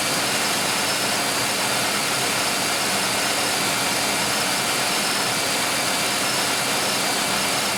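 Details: 1995 Oldsmobile 3800 with 138,000 miles, first start after timing chain and timing cover leak service with fresh oil and coolant, cooling system still bleeding: steady, even idle with a constant hiss-like wash, no knocks or misses; normal idle.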